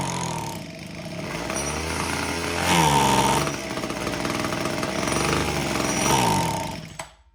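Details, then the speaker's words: Homelite HT17 gas hedge trimmer (small two-stroke) found with fuel lines missing, test-run to check clutch engagement; teeth moved but revs surge and sag before dying out, and the carburetor needs adjustment. "Teeth moved. Looks like we need some adjustment to the carb."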